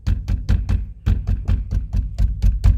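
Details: Mercedes E-Class W212/S212 door after propping the door reinforcement brace: knocking on the door gives clean dull thuds, the earlier metallic after-rattle heard with bass music and door slams is gone.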